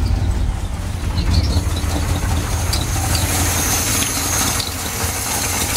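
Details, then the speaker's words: V8 runs rough with lumpy, uneven beat and stumbles at first, then oil starts arriving; owner suspects sticky lifters or slack pushrod. Rough running. "we fire it up and it runs like crap for a little bit but after a bit we start getting oil here so I'm wondering if it ain't just the lifters ain't sticky a little slack b a push rod"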